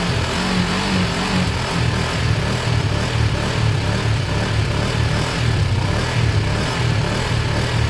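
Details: Kawasaki ER5 twin after wire cleaning, new fuel hoses and carb cleans, started on another battery after its own went flat from cranking: steady low-pitched even engine note with no misses or knocks, running normally.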